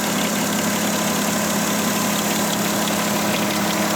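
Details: Volkswagen Touareg at idle with a faint irregular ticking about once a second over a constant low hum; strange engine noise whose source couldn't be determined.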